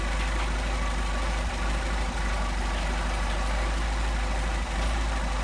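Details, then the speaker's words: Mercedes 190SL with Solex carburetors, idle mixture screw being adjusted: steady even idle, smooth low hum, no hunting; set at best idle speed before it drops off. "Back it out. Our best idle speed without going too far out. And then we start to drop down again. We'll get screwed back in our best idle."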